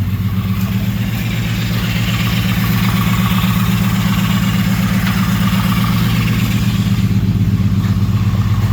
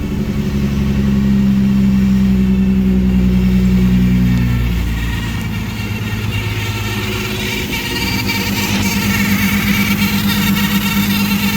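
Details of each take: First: Freshly swapped Ecotec engine, retry after rearranging plug wires: lumpy uneven beat with a regular stumble throughout; still misfiring, cylinders 2 and 4 not firing (cold exhaust manifold). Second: Ecotec engine swap after correcting coil-pack plug wire order, fuel pressure good: engine revs up and settles with a steady, even note and no misfire stumble; a remaining noise is suspected to be the power steering pump.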